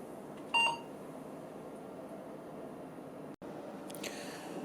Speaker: yeah keyboard error around setup utility